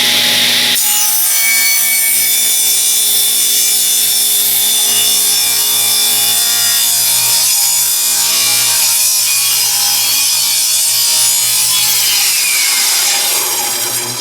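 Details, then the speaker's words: Free used table saw with a newly fitted plug, cutting wood on weak shop power: blade screams steadily then the motor note sags and winds down as the saw bogs; owner suspects insufficient power supply, something popped, wood also collapsed on itself. "It seemed like I don't have enough power out here to run this thing, though. Kind of juicing my power pretty hard."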